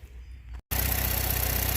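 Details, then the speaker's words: 2014 Chevy Cruze LT 1.4 L turbo with P0171 lean code, before repair: steady loud hiss over a lumpy idle from the failed PCV valve in the valve cover leaking air; engine runs rough and lacks power. "I narrowed it down to this PCV and here I'll show you actually this this makes noise when you run the engine it makes hissing noise like a leak you're gonna hear the leak I'll turn it on so you can hear it"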